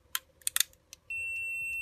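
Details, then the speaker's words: Fire alarm manual call point tested with continuity meter between terminals 1 and 2: light clicks, then steady high beep once membrane is pressed; normally open contact closes on activation, while 2-3 opens. "Le contact se déclenche et le courant il passe. Et du coup, entre 2 et 3, le courant ne passe plus."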